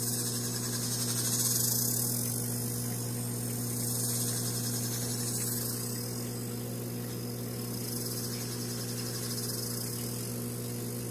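A steady low hum with a quick, fairly regular chirp about four times a second on top; the cause is unclear.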